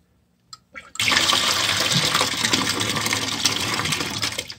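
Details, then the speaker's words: McDonnell & Miller #67 low water cut-off on 30+ year old Weil-McLain EG steam boiler, pre-season start-up with stuck float: valve opens onto steady hissing water rush about four seconds then shut; normal blowdown flush, float turns back on. "what's happening is it's emptying out faster than it's coming in and the minimal flow is just water basically trickling down this side here"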